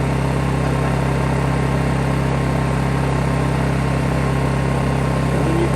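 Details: Honda generator cranked for a check: smooth constant low drone with no surging, misses or knocks; running steadily and healthy.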